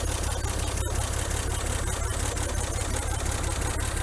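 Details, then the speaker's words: 1961 GMC K1500 4x4 first run after sitting 15 years, with newer carburetor, coil and electronic ignition module and oil pressure now showing; even, steady low idle with no knocks or misses. "Looks good, sounds good."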